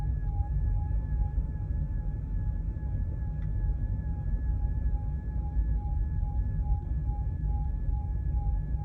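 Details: Volkswagen e-Up electric car driving with an intermittent steady high whistling or whirring noise with a faint wobble over road rumble, from the rear of the car; the noise comes and goes at lower or higher speeds and is not speed dependent.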